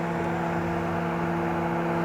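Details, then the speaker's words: 2012 Camaro rebuild project after radiator repair, temperature rising and antifreeze level uncertain, with a slight coolant drip: electric cooling fans give a steady whirring hum with constant tones over the engine; fans working normally. "Yep, it's starting to get hot. Fan's still running."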